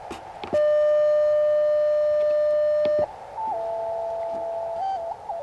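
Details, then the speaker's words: Ham radio CW on 20 m, upper CW portion, 9:1 random wire antenna in a park: steady pure tones stepping between pitches like a slow tune over quiet hiss; unidentified musical signal heard lately, not normal Morse, cause unknown. "Had a little a lot of odd stuff going on up towards the higher end of the CW portion of uh 20 m lately. Weird musical sounding stuff."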